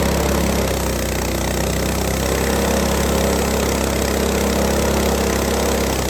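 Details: Repaired Lifan 7hp GX200-clone engine on a Frontier OS18 sawmill (blown head gasket from a loose bolt replaced, valve lash set) cutting extremely dry standing-dead ash with a sub-par blade: even firing, no bogging or misfire; plenty of power, normal under load.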